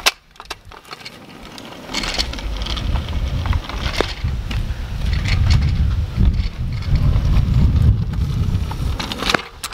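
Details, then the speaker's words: Cheap toy-store kick scooter rolling forward: irregular knocks and clunks over the low wheel rumble; loose, jittery front end clunking. "don't know if you can hear the clunkiness on it but if I just go forward you hear some clunkiness in it and something about the cheeks here is this is very like loose and you know very jittery"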